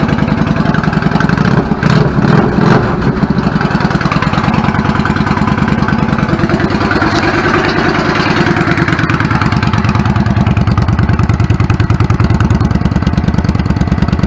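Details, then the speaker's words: 1999 Yamaha V-Star 650 Classic, 650cc V-twin, twin carbs, 16K miles, after cleaning clogged pilot jets: even, steady idle beat with a couple of clean throttle blips settling back smoothly; healthy idle. "smells a lot sounds good settles back of it I'm fine with it"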